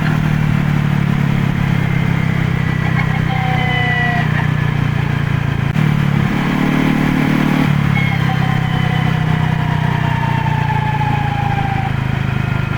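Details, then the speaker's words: Honda PCX, rear-area noise on deceleration after a shop repair: a faint falling whine still sweeps down from the rear over the engine drone, much quieter than before; later metal debris in the final reduction oil traced it to a broken final drive countershaft bearing. "The sound is still there after the repair, but it's much quieter. Maybe this doesn't matter..."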